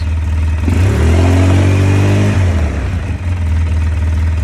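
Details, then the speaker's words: 2005 Polaris Sportsman 700 EFI ATV after a Quantum fuel pump, regulator and filter replaced the worn OEM pump (it used to cut out after 3–5 minutes): idle raised to about 1130–1140 rpm, revs climb smoothly and settle back cleanly with no misfire; sounds much better. "Now it's about 11:30, 11:40. Sounds a lot better than what the previous one was."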